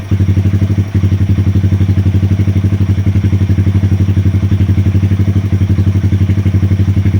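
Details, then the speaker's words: 2020 Honda Grom 125cc after ECU and TPS resets and relearn, fixing rough idle and misfire: steady even putter about four beats a second, no stumbles or misses; rpm nice and steady, clean stable idle. "It will be running spot on. RPMs are quite nice and steady now."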